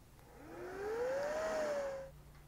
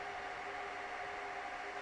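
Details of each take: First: Dell R610 server after replacing the front I/O board with its faulty ambient temperature sensor: fans surge at boot, then settle to a low, quiet hum. Front fan now under 5000 rpm; normal fan speed restored. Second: Dell PowerEdge R610 server at no load: constant loud rushing hiss with thin whine as fans race, because the failing ambient temperature sensor (front I/O board) reads 40 °C in a 23-25 °C room; fix is replacing the board.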